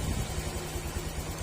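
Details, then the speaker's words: Honda Click 125 V3 scooter, engine recently rebuilt but still noisy: low, slightly uneven putter at about 1,211 rpm idle with injector reading 3.1–3.2; idle speed set too low, runs rough. "Okay kung mapapansin niyo pag mababa yung minor 1,211 yung yung RPM natin"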